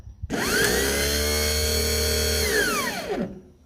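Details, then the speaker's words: 34" Dixie Chopper Silver Eagle mower starter bench-triggered with an alligator clip: a high whine winds up, holds, then coasts down with no cranking. The drive spindle isn't shooting up to engage the flywheel; a hammer tap was needed to spin it. Cause suspected, not confirmed. "now the problem is that spindle should shoot up to engage the flywheel and the motor but it's not um shooting up it's just spinning in place"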